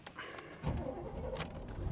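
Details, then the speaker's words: 1994 Chevrolet Suburban 1500: short starter whir, then the engine catches almost immediately and settles into an even running note; normal, healthy start. "Starts right up. No problems there. Sounds good. Sounds healthy. I like it."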